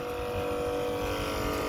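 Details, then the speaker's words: Old Mitsubishi Electric 2-ton split AC outdoor unit, model MUE24VD, during a capacitor problem repair: a steady hum with constant fan whoosh as the compressor and fan both start properly, drawing about 9.2–10.2 A; normal running. "तो इसका मतलब हमारा कंप्रेसर जो है proper start हो गया, फ़ैन भी स्टार्ट हो गया।"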